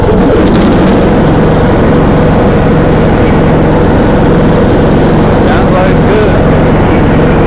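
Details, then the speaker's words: John Deere D105A riding mower after replacing burnt deck belt with new one: steady drone holding even speed under cutting load, no stumbling or belt squeal; normal running under mowing load. "good let's test it come out here going is it mowing oh yeah she's mowing let her let her rip"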